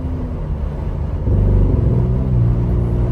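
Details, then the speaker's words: Ford Bronco Raptor at full throttle under load: deep even roar, no rising turbo whistle, boost gauge shows no boost, feels naturally aspirated; owner suspects boost regulator or a bad part, unconfirmed. Loss of boost under full throttle. "there is no boost going into this right now and here's a look at the boost gauge whenever it's making that noise it is not building any boost so it's got to be the Boost regulator or something something like that"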